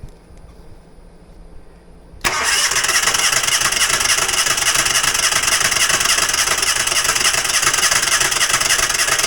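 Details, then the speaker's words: Falcon four-stroke paramotor trike on a new NOCO lithium LiFePO4 battery, started with a little throttle: strong, steady starter cranking about three and a half turns a second holding speed; normal cranking, battery has plenty of juice. "sorry for how loud it is but I guess that uh that thing has plenty of juice"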